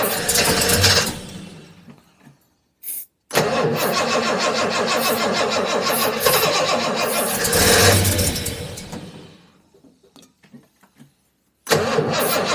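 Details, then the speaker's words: Jaguar XJ Coupe (XJC) first start after rebuilt cylinder head install, timing set: cranks, catches, runs rough seconds then dies; runs only on starting fluid, carb overflowing; owner believes the AED is at fault, not confirmed. "I tried that made no difference it runs on starting fluid nothing else I believe the AED is at fault"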